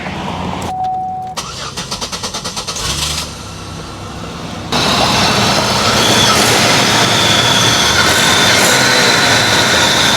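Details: Buick LeSabre after fixing a misfire by replacing the ignition coil module with a used one: starter cranks in a quick even chatter, catches and settles into a smooth, steady idle; healthy start.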